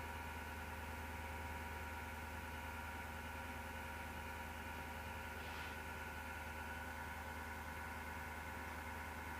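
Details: PC power supply fan, heard at left side of case: starts by itself after rattling or clicking, slows and turns to a steady low roar with whirring grinding drone; suspected worn PSU fan bearing.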